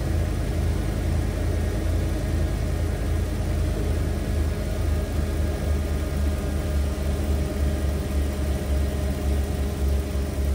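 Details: 1991 Ford Econoline E350 after fuel tank selector valve repair, restarted: low, even rumble with steady slow pulse and no misses, ticks or knocks; normal idle.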